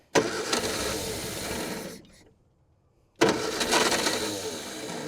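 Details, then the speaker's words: 1960 Triumph Herald dormant 42 years, brake cleaner squirted in: two long bursts of starter cranking with a pause, engine turns over but never catches; owner suspects something still clogged, later admits a mistake of his own explained the no-start and fuel leak. "We might have something clogged still. Give it a little squirt. I'm sure something's probably clogged in there, but give it a go anyway."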